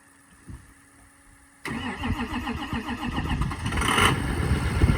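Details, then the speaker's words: 2004 Ford F350 6.0 Powerstroke diesel, about 311–314k miles, stock exhaust, sat 2 weeks after a dead battery: brief crank, then fires with injector clatter and settles to an even idle with no smoke; normal cold start. "So as you can see, it kind of took a second to fire up, which is common. I mean, heck, it's been sitting for 2 weeks, which ain't bad at all."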